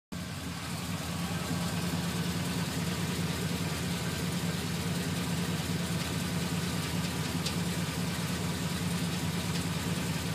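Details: GMC Sierra 2500HD 6.0 V8 at warm idle: a deep, even idle with a faint fast tick at roughly two per second that starts a few minutes after starting and gets worse after driving then stopping; it is absent while driving, cause unknown.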